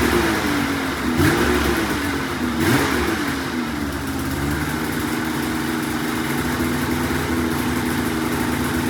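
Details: $500 2004 Polaris RMK 800 two-stroke snowmobile, first start after head reinstalled with used O-rings, cold: blips up twice then holds steady even idle, no misfires or rattles; runs well.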